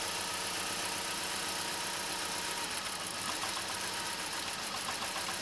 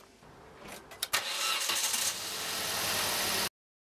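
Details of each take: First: Vauxhall/Opel Corsa C petrol engine at idle with a steady, slightly uneven pulse from a single-cylinder misfire. Unplugging injectors one at a time identified cylinder 3; possible causes are a faulty or clogged injector, spark plug or coil pack. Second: Petrol Vauxhall/Opel Corsa C after replacing the coilpack, spark plugs and fuel injectors to fix misfires: the engine cranks about a second, catches cleanly and settles into a steady, even idle without stumbling.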